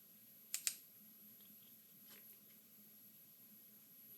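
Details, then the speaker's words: 55 W 12 V incandescent fog-light bulb on a 12–24 V 30 A PWM LED-strip dimmer; a thin, very high, steady whine comes from the bulb, not the dimmer, with a few switch clicks. Incandescent bulb PWM whine. "Nhưng khi sử dụng bóng đèn sợi đốt có tiếng rít ở một tần số nào đó."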